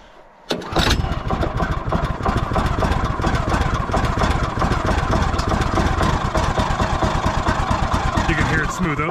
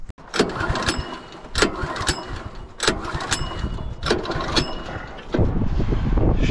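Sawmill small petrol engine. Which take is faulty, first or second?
second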